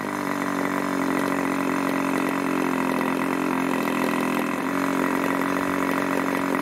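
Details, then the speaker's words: 1980s Irvine 40 MkII ABC Schnuerle-ported glow engine, twin-needle carb, 10x6 prop, 7% nitro 20% oil fuel, after needle tuning from rich: smooth steady idle just over 2500 rpm, no sag or misses; normal idle. "seems to hold a really nice article just over two and a half thousand rpm"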